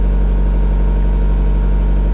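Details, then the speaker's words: VW Jetta diesel at idle, on Castrol Edge Euro oil: quick, even tick over the low clatter; owner thinks lifter tick rather than exhaust leak and may swap cam and lifters, not confirmed. "Some decent lifter tick. I was hoping it was an exhaust leak, but I really don't think it is."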